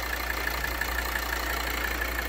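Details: 2013 Volvo XC60 2.4D (D5244T10) diesel at idle: light, regular tapping about six times a second as vacuum pulsation from a leaking vacuum pump check valve vibrates the turbo control actuator flap.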